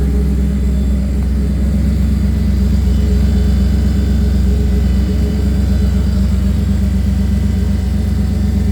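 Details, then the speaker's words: Car with Magnaflow 750 Pro-tuner fuel pump after new #10 PTFE feed line replaced deteriorating rubber line that clogged the cleaned 100-micron filter and caused stalling in reverse: steady, even low rumble, regular beat, no stumbles; 43 psi rock solid; normal running. "the pump sounds way better with that new line on clean filter it also runs way better too 43 psi rock solid nice"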